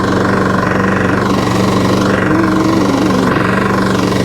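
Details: Badly worn lawn mower engine running hard with a rough, uneven knock of about four beats per second over the exhaust. Valve adjustment did not cure it; cause not confirmed.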